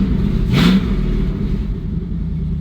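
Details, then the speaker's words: Chevrolet C10 truck V8 idling after frame crack welded and exhaust reconnected; loud, deep, open rumble with no tapping or puffing because the exhaust cutout is open, not a leak; muffler sounds good either way. "This is the cutout right here. That's how I turned it on the first time."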